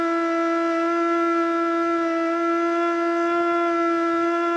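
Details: Older Federal Signal Model 2 siren with an old CD box, tested in Princeton, NE: steady tone never climbs to full pitch and wavers heavily; underpowered rotor, brushes probably worn (suspected, not confirmed).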